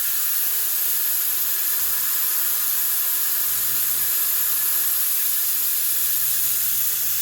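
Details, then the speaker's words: Boost leak test on a truck with a newly installed 48RE: intake system pressurised with shop air to about 20 psi, steady airy hiss from a leaking intake boot heard immediately; compressor running in background. "basically fill this [ __ ] with air there we go then we watch her go up you can hear the leak immediately hear it that's 20 lb"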